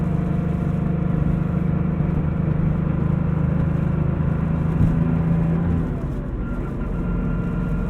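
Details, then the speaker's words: 1988 Porsche 911 Carrera 3.2L, first drive of 2022 after storage, binaural in-cabin POV audio. Steady road rumble under way with a faint, even gear whine rising late in the pull; the normal whine of its almost straight-cut-sounding fourth gear. "that sort of a straight cut fourth gear almost it always winds a bit and forth i love that sound"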